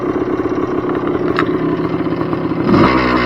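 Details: 1978 Yamaha IT250 two-stroke dirt bike, stock, 2084 miles/152 hours, cold start on choke with brand new fuel (float sticking a bit): ringing, busy crackly idle that settles and steadies; healthy cold start.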